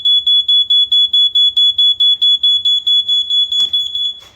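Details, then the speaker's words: Household smoke alarm tested: loud shrill beeps, about two per second, sound properly. The interconnection seems not to work, since the other alarms are not heard. "Now that works. And I believe I've tested that before."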